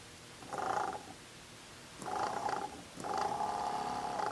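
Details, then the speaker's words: BMW E34 heater secondary water pump bench-tested on a battery after valve solenoids checked: three short runs of a rough rattly buzz at fixed pitch; sounds like something jammed inside though it spins, cause unconfirmed. "while the pump is working sounds like there's something jammed in there but it is spinning"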